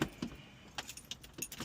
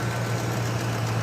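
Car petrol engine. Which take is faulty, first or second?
first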